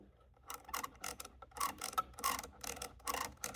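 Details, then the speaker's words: 1950 Rockettes woodrail pinball stepper worked by hand after its gummed spring was cleaned and the top sprayed with alcohol, not yet lubricated: short dry squeaks and rubbing clicks about twice a second; little friction, just the metal bands not sliding on each other. "You hear the squeaking. That is the surface of this. But there's really not much friction. I think this thing just not wanting to slide."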